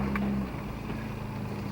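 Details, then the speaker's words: 1995 Nissan Maxima 3.0 that had a misfire under load from a torn intake boot and holed spark plug wires, after repair: strong, even engine note pulling cleanly under hard acceleration, spinning the tires, then easing off; no stumble, healthy. "Hey, it'll spin the tires. Pretty good for a little race car, huh?"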